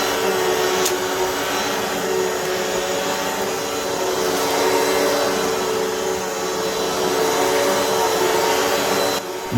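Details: Hoover WindTunnel vacuum after drive belt replacement, new tensioned belt seated in guide wheel and spin brush refitted: motor runs with a steady, even roar and no clicking or slapping from the brush drive, so the vacuum sounds healthy.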